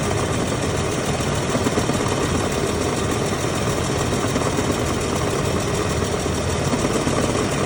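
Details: GM 4L30E automatic transmission at idle: busy, faintly uneven mechanical chatter under the engine note; transmission noise at rest.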